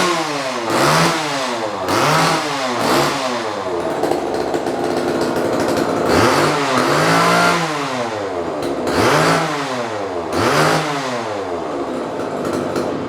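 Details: Vintage Homelite XL chainsaw, first start in 10+ years, with new fuel line, oil lines, duckbill valves and air filter: crisp two-stroke buzz through repeated throttle blips, settling to steady idle; runs healthy.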